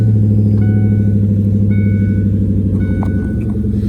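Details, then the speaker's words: 1996 Ford Mustang GT convertible V8 started in neutral after fitting a better battery; steady even idle with a deep regular exhaust pulse, no misses or knocks; normal start and idle. "Everything's already looking better than what it was doing. Now that's what it's supposed to sound like."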